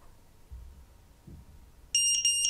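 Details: Geelang X-UFO 85X 4K cinewhoop FPV drone with AIO flight controller/ESC board: three short, shrill electronic beeps after soft handling clicks, the normal buzzer signal when the battery is plugged in at power-up.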